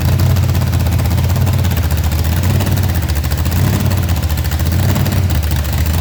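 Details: Blower-supercharged burnout car checked for damage after a burnout event, torque converter bolts tightened: deep, loud, steady low rumble with an even lope, no hunting or blower surge; idle dialed in, maybe slightly high, healthy.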